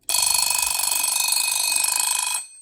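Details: Cheap late-model Westclox plastic alarm clock, during repair: loud, even bell ringing with a rapid steady hammer rattle for over two seconds, then stops; alarm striking properly.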